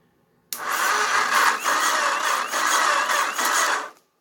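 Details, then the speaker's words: Auction Kawasaki (titled 1989 KLR650; owner unsure, thought 1987 250), neutral safety switch/relay wires bypassed, powered only by a battery charger on low: a thin starter whir surging slowly about every half second. It barely turns over because the supply is too weak. "And that's my battery charger only. It was on low."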